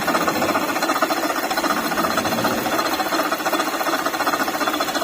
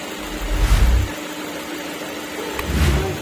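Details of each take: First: Latest-model Maruti Ertiga engine running with AC off: a dry, rattling chatter from a worn water pump bearing, confirmed by checking with the belt removed. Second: Maruti Ertiga (latest model) idling after water pump replaced: smooth steady low hum, no whine, rattle or knock; earlier engine noise was from the water pump.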